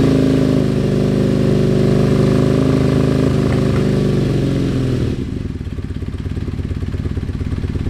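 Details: Kawasaki KZ440 twin after starter motor repair and a recent tune, petcock on, fueled and oiled: revs high and smooth, then drops to an even idle of steady pulses. Starts and runs cleanly, healthy.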